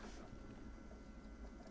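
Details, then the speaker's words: Original Xbox reading a badly scratched Smashing Drive disc: steady low mechanical whirr with faint rattling under quiet hum as the optical drive strains to read, then black screen. "okay my disk drive does not sound good and now I'm looking at a black screen so okay it's it's working I guess"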